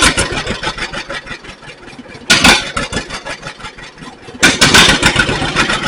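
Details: 1942 John Deere Styled B two-cylinder tractor, revived: slow, uneven pops at low revs with two louder surges as throttle opens; starts and keeps running normally.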